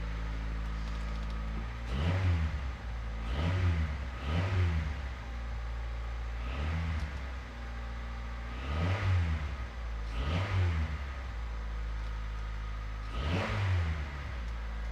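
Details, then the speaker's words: 1989 Honda Prelude after timing belt, water pump, drive belts, valve adjustment and valve cover gasket: calm steady idle with about eight quick clean blips rising and falling smoothly, no knocks or ticks; engine healthy. "sounds great so that is great news we just did a timing belt water pump Drive belts valve adjustment new valve cover gasket put it all back together and it sounds amazing"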